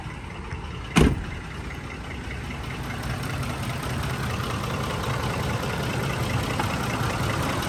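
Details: Ford F-150 5.4L V8 idles low and uneven with a lumpy, stumbling beat after a single thump: cylinder 8 (bank two) misfire, with power loss, heavy shaking and raw fuel smell from the exhaust; suspected plug, injector or coil.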